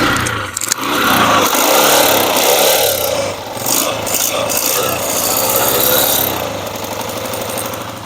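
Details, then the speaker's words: 2009 Honda 125 single-cylinder motorcycle as received before restoration, engine previously worked on with a non-genuine cylinder fitted, hard starting: harsh clattery running with uneven firing and hissing mechanical noise; rough running from non-genuine cylinder. "इसका इंजन का काम कहीं किया है, सिलेंडर इसके अंदर non genuine डाल के साउंड भी बिल्कुल तबाही फेरी पड़ी है।"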